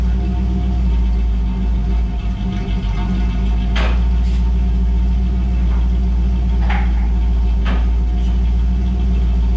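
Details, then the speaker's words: 1984 Chevrolet Camaro Z28 with L69 HO V8, freshly installed exhaust with the muffler sitting straight, angle-trimmed tailpipes, ball flange and original hanger: deep, steady, even burble with no ticks, blows or rattles; healthy, sealed exhaust note. "Came in real nice. Yeah. Sounds good."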